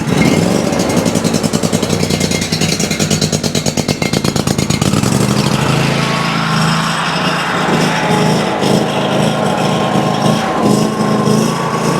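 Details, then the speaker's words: Ferris IS3000Z mower, 27 HP commercial Briggs & Stratton V-twin, low power and rough running, fed ethanol-free fuel from a held-up supply; uneven surging beat smooths out on choke, pointing to a likely carburetor issue. "I was actually able to get it to even out there with the choke, whereas before I wasn't able to. That's pointing me towards a likely carburetor issue."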